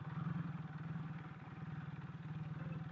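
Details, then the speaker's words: Kawasaki KZ440 single-carb motorcycle, warmed up after a rough cold start and long storage: quiet steady putter with even firing pulse, no misses or knocks; a nice healthy idle, chain noise normal. "because now it sounds good foreign chains always sound like they're gargling marbles oh look at a nice nice Idol going on right now"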